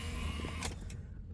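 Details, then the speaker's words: 2004–2008 Acura TL during cranking: coarse electrical buzz from behind the plastic cover by the ignition switch under low rumble, cut off by a sharp click; failing ignition switch, often needs 2–3 cranks. "Now I'm going to start it up and you should hear a buzzing sound. So you hear that buzzing sound? It's coming from right behind this plastic cover right here."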